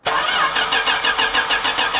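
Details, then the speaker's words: 1980 Dodge D150 truck, first start after new fuel filter, fuel poured down the carb: quick uneven cranking pulses that catch but won't settle, engine dies, possibly while the float bowl is still filling; hard starting, likely from fuel starvation. "bowl still might be filling the bowl up it does that it just dies are you on the gas little bit"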